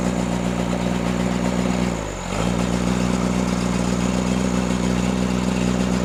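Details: Freshly rebuilt Cummins diesel in Case 1840, new injectors, rebuilt pump timed 12° BTDC: dips and climbs back to fast idle, firing beat choppy and uneven; missing, balance test suggests cylinders 1 and 2, cause unconfirmed.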